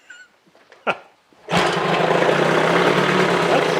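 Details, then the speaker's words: 1975 Johnson 25hp outboard, not run in over 4 years: one cord pull and it fires straight away, settling into a steady, even two-stroke buzz with no misses; healthy start. "You get, usually when I get them running pretty decent, you get them about half a pull just sitting."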